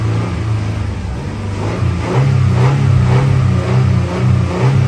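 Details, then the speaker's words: Toyota Tacoma 4.0L with both oil control valves checked and replaced and no fault codes: the engine runs at a high, wavering, lumpy rev only while the throttle is feathered around 3–4k rpm; held steady it instantly dies, with a slight knock. Cause undetermined. "But I can't hold it steady. Holding it steady, it instantly dies."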